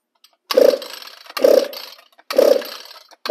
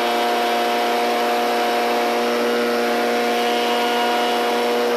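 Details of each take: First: String trimmer on the bench, primed and on full choke, throttle depressed; four rope pulls, each a short hollow whistling rasp with no catch; choke butterfly on the air filter base not sealing, fluttering. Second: Echo PB770 two-stroke backpack blower started on full choke until it fired, then off choke and pulled until running; steady even whine at constant speed, no surging or sputter, normal running.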